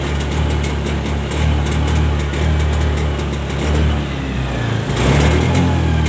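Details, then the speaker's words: Honda Scoopy eSP scooter, 2017–2018 onward: revs with steady drone, then sags and stutters at full throttle, limited to about 60–70 km/h; throttle position sensor fault, fixed by throttle body service, sensor adjustment and FI reset. "Oke, jadi seperti itu ya. Kalau digas satu kali dia langsung berebet, Guys."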